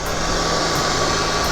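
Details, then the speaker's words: Harley-Davidson Dyna Low Rider S (FXDLS) with an Ultra Cool oil cooling system, one year after install; close-up audio with ignition on. The oil cooler fan gives a steady, even airy whir with a faint constant hum and no rattle or scraping, so it runs normally. The system fixed the bike overheating and wanting to shut off after 30-minute rides. "it's fucking working, guys. So that's what keeps my bike running cool for the most"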